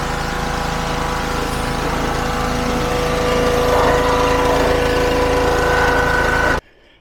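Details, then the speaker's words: Petrol-powered pressure washer, salvaged from scrap, after its seized pump was replaced with a new FridayParts pump: engine holds a firm even drone while spraying at pressure, no knocks or surging, then shuts off; normal running under load. "The power in that lance is something else. So yeah, I'm really happy with that."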